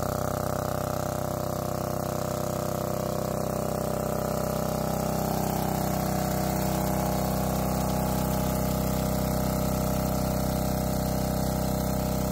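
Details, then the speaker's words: Lombardini 15LD400 single-cylinder diesel generator, old barn find revived on temporary fuel tank, loud; steady even chug at constant speed, no knocks, misses or hunting; normal running. "I'm going to have to put on headphones or uh ear muffs cuz it's pretty loud"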